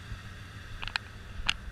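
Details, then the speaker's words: 1995 Ford F250, one owner, replaced exhaust likely Flowmaster, warming up: quiet low steady V8 burble, no knocks, misses or hunting, clear exhaust. Normal idle. "It sounds really good. It's got, I believe, a Flowmaster on there, but it's got a great sound to it."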